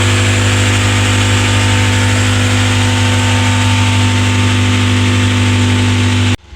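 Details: Honda Accord after timing belt and all-new belts replacement, cooling system still to be bled: loud, even idle with steady low hum, no knocks, misses or rattles, then a clean shutoff; engine running properly.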